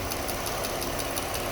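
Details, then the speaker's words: Engine at steady idle: a light, even top-end tick about five or six times a second. It almost sounds like an extremely loud injector; lifter or rocker arm is suspected, not confirmed. "no no the thing is that tick almost sounds like an extremely loud injector but"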